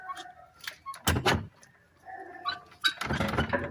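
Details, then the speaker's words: VW car: two bursts of loose metallic clunking as the brake caliper is rocked by hand under the car, with huge play from worn caliper bushings; this causes a suspension knocking noise, and the bushings need replacing. "galera essa aqui ó tem que trocar os embuchamentos dela tá com uma folga tremenda entendeu galera Faz uma barulheira ó"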